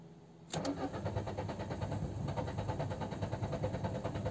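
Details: Peugeot 206 CC running on E85 ethanol, warm engine won't restart hot: it cranks on and on at a steady uneven beat without firing. Owner suspects the fuel filter and plans to replace it.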